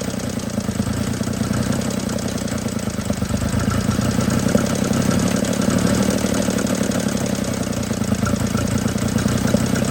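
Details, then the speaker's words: 1950 DeSoto Custom coupe, sat about six years, first start after fuel line run to carb: low idle with uneven, lumpy beat, loudness swelling and sagging; engine runs but idles rough. "Got to fire up now. Let's give her another try. There it went. Doesn't idle very smooth."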